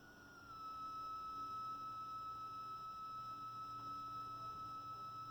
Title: Marantz CD 73 - Strange noise while listening a CD